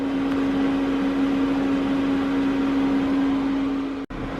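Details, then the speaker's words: New LP gas RV furnace, first firing on a cool day with about 60° inside: the blower comes on first, then the burner kicks in, giving a steady low hum and airy whoosh with no rattles; running normally while burning off new-unit smells. "you could hear it come on fan first and then i heard it kick in and they could actually hear the burner kick in so it's it's running right now"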